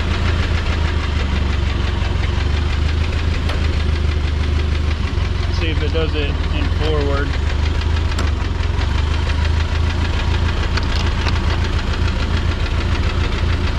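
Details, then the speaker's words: 1952 Ford 8N tractor rescued from a barn, first run, pistons and sleeves due for replacement: low steady idle with light even tapping; owner suspects valve clearances set too wide, needing adjustment. "oh my gosh it's got a little bit of tapping but it sounds like it's coming from the valves I might need to adjust them a little bit better I might have them opened up too much"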